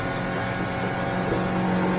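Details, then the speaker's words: Smokercraft Osprey 172 boat with F70 outboard cruising about 32-36 mph; steady outboard drone over water and wind, pitch creeping up as the motor is trimmed out without throttle change, running cleanly. "nd we're running about 32 or six about 36 miles an hour depends on what the tide is doing too"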